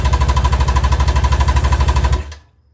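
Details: Carbureted engine in a budget 7' mini jet boat, first start ever, on the reserve fuel setting; fast, even buzzing pulses at high revs for about two seconds, then an abrupt cutout, with lots of smoke: runaway over-revving on first start.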